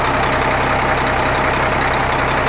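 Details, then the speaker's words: Changlin PY165H motor grader, rebuilt Cummins C-series-type diesel warming up, recorded close in the engine bay: steady even idle, smooth low beat, no knocks or misses, no exhaust smoke; healthy after rebuild. "See, this baby is breathing in and out nicely. He's a happy boy. Nothing coming out from the exhaust."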